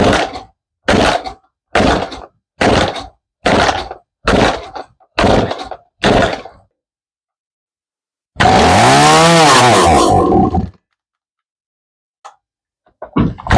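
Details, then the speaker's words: Stihl MS 180C chainsaw unused for years, new spark plug, cleaned fuel tank: repeated short revving bursts dying between choke pulls, one longer fading surge; runs only while working the choke, carburetor suspected, fuel line holds pressure. "So it will run. If you keep working the chuck on and off, it'll run."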